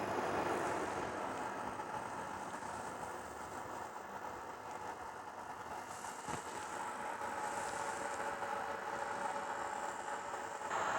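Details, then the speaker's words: Cheap Chinese 12 V diesel air heater in a shed, first start: loud steady blower buzz with no fuel pump ticking heard; fuel pump not primed, priming by holding up and down buttons before switching on. "so uh you hold up and down before you turn it on and that will prime the pump"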